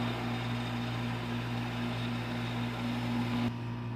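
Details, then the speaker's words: Houseboat residential-style AC/heat pump, restarted after the wait-for-equipment time delay following an AC Easy Seal leak repair: steady low compressor hum with fan rush, no rattles or cycling; pressures and refrigerant charge right on. "okay the system is back up and running check the pressures refrigerant charge is right on"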